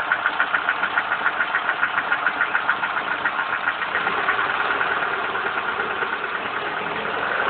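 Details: Lada Priora, 55,000 km, after piston replacement: a ringing metallic tick roughly twice a second over a slightly uneven idle, rising with rpm. Knock appeared at 51,000 km, first only above 70°C, now constant; loudest on cold start, easing after 2–3 s. Owner suspects hydraulic lifters; unconfirmed.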